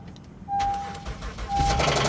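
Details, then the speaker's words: Car at a Copart auction with 169,000 miles, started on a jump: sharp, rapid tapping over the idle right after start-up, in time with the engine, and it persists. Oil is present and not milky; the engine is considered dead. Engine knock. "please stop knocking it's not going to stop knocking nope not going to stop knocking"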